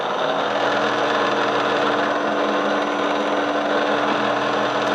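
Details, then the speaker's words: Bridgeport mill head in high gear, with the old bent spindle and rebuilt bearings: steady high whine with a faint buzzy edge, noise changing with how the gear engages and quill position; gear noise in high gear. "now the noise you hear will change based on which te we engage so I'm going to try to engage it in a different position cuz sometimes it's worse and sometimes it's better you can definitely tell now it's it's a little bit more noisy than"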